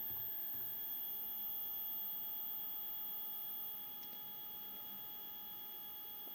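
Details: Single Z-axis stepper on a Duet board, 2 A, acceleration 120, feed rate being raised to 2000: a faint steady mid-pitched singing hum. The motor has vibrated since a stall lowering the bed, cause unknown.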